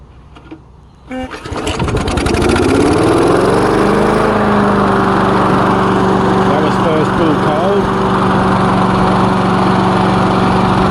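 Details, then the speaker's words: Lawn mower, first test run after repair with freshly changed oil. A few cranks, then it catches into an even, steady drone with no misses or knocks; running normally. "as you can see it's running fine let's give it a minute make sure"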